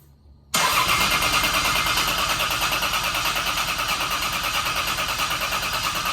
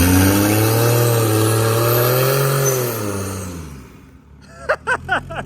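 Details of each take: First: Turbo CT20 Lexus IS300 on its first start attempt after build: steady fast cranking for about six seconds, a pause, then another long crank, never fires; no fuel pressure because a fuel connector was left unplugged. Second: Lexus IS300 with CT20 turbo conversion, first start-up, power-braked against the front tires; engine note climbs under load with a rising turbo whistle, then fades: turbo spools up immediately, healthy.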